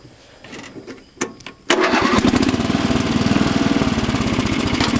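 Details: Rebuilt Murray Lawn Chief lawn tractor, 11 hp single-cylinder, already warm from mowing, rebuilt clutch, new belts and drive chain, worn top transmission sprocket: handling clunks then quick start into steady even putter, no misfires; runs well.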